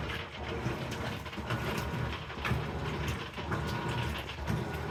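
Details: Amana washer, model NTW4519JW3, bought new July 2023, in agitation cycle: churning back and forth about once a second with irregular sharp crackles and clicks each stroke; crackling noise, cause unknown.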